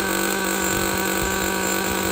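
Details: Used Traxxas Jato nitro 2.5 after the bad throttle servo was found and marked: steady high-pitched buzz at constant revs, smooth and even with no misses or rattles; the engine runs fine.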